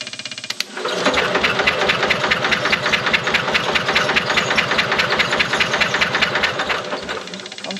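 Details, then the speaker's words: 1970s Onan RV generator that sat for years, points cleaned and coil powered: starter spins it at a steady chugging rate for several seconds but it never catches, with still no spark; a cranking no-start. "still not seeing any Sparks"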